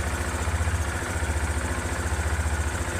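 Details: 2006 Yamaha Phaser 250 motorcycle, engine fully rebuilt about 20,400 km ago, valves never needing adjustment; steady low thump about three to four beats a second, no tapping or clatter; healthy idle.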